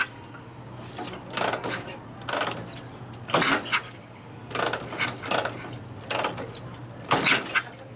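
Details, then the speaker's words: 1959 74ci Harley panhead new build with 38 Mikuni, very hard starting, kickstarted after oiling cylinders with air tool oil: irregular kicks with dull puffs and spitting, never catches; not firing. "It's not firing on. It's not sparking. Well, I know it's not sparking, but it's not. It ain't lighting it off yet."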